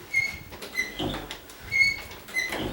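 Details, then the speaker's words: Condo door: short, high squeals repeat as the door swings, from hinge knuckles rubbing dry. The fix is removing the hinge pin and greasing it with multi-purpose grease, though these hinges are being replaced with new ones. "you can hear that noise, that other noise, as it's rubbing."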